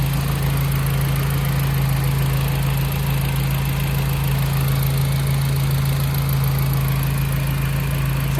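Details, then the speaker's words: Audi TT Mk1 idling during service with fresh oil, oil filter and air filter, run briefly to circulate oil: steady, even low hum with no knocks, misses or hunting, "like a Swiss watch"; normal healthy idle. "Oil is in. Oil filter's on. Just got top air filter on. Swiss watch."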